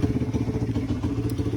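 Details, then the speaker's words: Tao Tao bike after a new carburetor install, fuel screw set 2 turns out instead of 1.5 and idle screw adjusted: quick, even single-cylinder putter at idle with no stumbling. It runs good with no problems. "All right guys, so as you can hear, the bike is running good, no problems. That's good."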